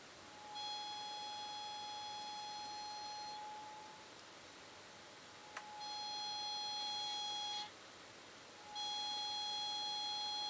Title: Nokia Lumia 1020 Camera Squeaky Sound